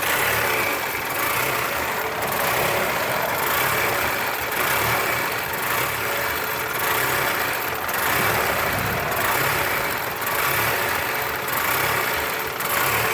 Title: Rough idle 1